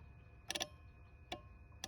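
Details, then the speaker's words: Citroën Xantia Activa V6 ES9J4 194 hp, no-start: simulating the ECU ground, the fuel pump relay clicks sharply but no pump hum or fuel pressure follows; pump runs when wired directly, suspected tired connector. "claque mais il se passe rien."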